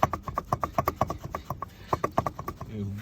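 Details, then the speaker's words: Car with over 400,000 km, driving: rapid hollow clatter, about eight knocks a second, from the worn intermediate shaft (jackshaft) support bearing; the noise persists with the suspension bolts removed, and leaking seals are noted. "Если звон не проходит, значит, шумит вот этот вот подвесной подшипник. Значит, смотрите, как он шумит. Вот такой он шум издаёт."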